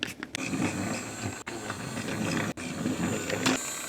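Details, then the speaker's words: Trackmaster Revolutions toy train after repair (chipped, cracked, too-deep gear replaced; motor had been swapped): the motor hums quietly and evenly with no gear grinding, a healthy, quiet run. "Now look at that. Quiet engine. Much better."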